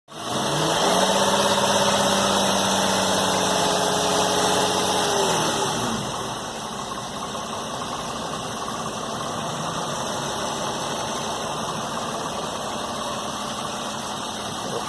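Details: 2008 Infiniti G35 petrol V6 idling with a light, even rattling tick about three a second; owner suspects lifter noise, shop says it is normal, owner plans an oil additive or cleaner.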